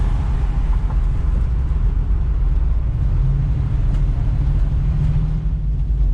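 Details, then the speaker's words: 1971 Chevy Nova LS swap after installing a Tanks Inc. EFI tank with a 450 lph in-tank fuel pump, replacing a loud external pump; only a steady low engine rumble, no pump whine or buzz, no leaks; normal quiet running. "Didn't see any leaks. I don't think I can hear the fuel pump at all. It's much quieter in here."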